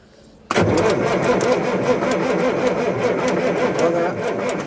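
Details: Old semi-truck diesel that sat in a farmer's field for years: steady, even cranking that never catches or fires, turning over with no start; cause suspected, not confirmed.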